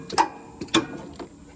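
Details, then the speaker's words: Husqvarna zero-turn mower, about five years old, safeties disabled: three sharp metallic clinks with no cranking as the starter tries to engage; the engine turns freely and the owner suspects the battery after mowing in 110°F heat. "That's a starter trying to engage."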